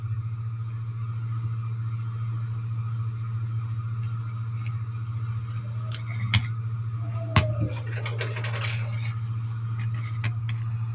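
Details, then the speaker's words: Homemade tool demagnetizer built from a washing machine drain pump motor coil: steady low mains hum with a few light taps as tools are passed over it; normal hum from the alternating magnetic field vibrating the piece. "Il ronzio che si sente è una cosa normale ed è dovuto all'alternanza del campo magnetico, che crea delle vibrazioni sul pezzo e queste si avvertono anche sulla mano quando si passa l'utensile sulla sup"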